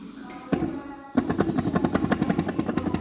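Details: Ford Transit Custom diesel: harsh uneven clattering rattle, very loud noise from the gearbox; clutch also worn; fixed with a reconditioned gearbox.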